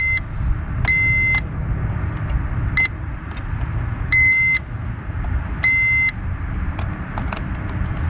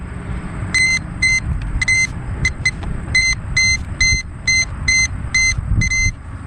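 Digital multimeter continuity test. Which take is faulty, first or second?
second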